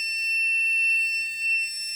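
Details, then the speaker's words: Non-contact voltage tester at high sensitivity: a continuous high-pitched tone sounds. It is signalling a live wire. "you stick it in a plug, or near a plug, and if you got live wire in there, you hear how that beeps. If you got live wires, it's gonna beep like that."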